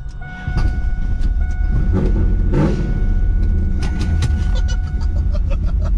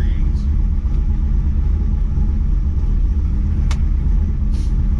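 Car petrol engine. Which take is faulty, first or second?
first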